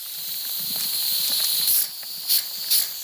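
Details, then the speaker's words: Afghan kazan (pressure cauldron) being prepared for first use: steady sharp hiss with three louder gushes as the valve weight is lifted; the quieter of its two valves is venting freely and working properly. "а так они одинаковые Оба работают Так что не беспокойтесь о том что у Вас например один Там классно сработал а второй молчит ничего не работает типа всё нормально"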